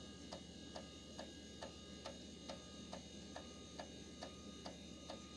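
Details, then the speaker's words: Old IBM 330 450 DX2 PC running Windows 95, 3.5-inch floppy drive reading a disk to open one picture: crisp, even ticks a bit over two per second over steady fan hum as the head steps; normal read clicking. "hear it clicking it's reading mechanically it's reading that uh floppy disk"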